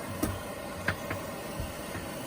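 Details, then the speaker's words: Propex propane air heater in a coach, started from the digital thermostat; steady fan rush with a few light ticks as it purges gases for about 20 seconds before ignition; normal startup purge. "That is purging any gases in the system right now. We'll do that for maybe 20 seconds or so."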